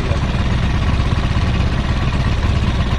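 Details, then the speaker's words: Three-wheeler motorcycle that died with lost ignition, after fitting a replacement part in the charging circuit between the battery and ground connections: starts again and idles with a steady, even low rumble, no knocks or misses. "ini bisa hidup ya bisa hidup kembali"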